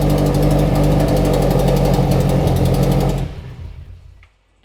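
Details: FRS/BRZ/86 after installing Deatschwerks 900cc injectors and fuel pump idles steadily with a smooth, even pulse for about three seconds, then is switched off. Normal idle.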